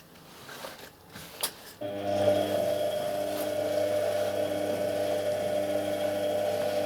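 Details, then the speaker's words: Indesit WS84TX washing machine during rinse/spin drain: quiet until the drain pump starts, then a steady rasping grind with a whine; the pump impeller shaft is off-centre and wobbling, and pressing on it reduces the noise. Fix: replace the pump. "и когда начинает вот работать помпа, начинается вот этот скрежет."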